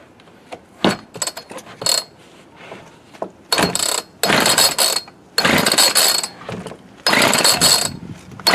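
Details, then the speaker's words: Homelite D3850B 18-inch chainsaw with a new carburetor, cold start at 19 degrees: repeated short rattling rope pulls that never catch; engine flooded, fuel running out of the carb, choke tried next. "Flooded her that time. Boy, she's rolling out of the carb."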